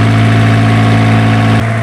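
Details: Isuzu diesel generator engine, previously hard-starting, now running after troubleshooting: a steady, even drone with a smooth unbroken note and a small settle partway through; idles cleanly with no knocks.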